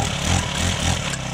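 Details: Honda FG110 tiller/cultivator found in trash, just primed and started on second pull with choke opened: small single-cylinder engine putting along at even, steady idle, no misses; normal idle.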